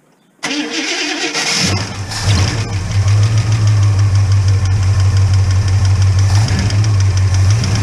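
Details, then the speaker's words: Holden HK engine at start-up with no oil yet reaching the top end: cranks, fires, settles to a lumpy idle with a light ticking over the top end; lifter short of oil. "no oil coming up yet there's definitely a kick in there a lift the chip I've got no oil coming up to the top end at the moment"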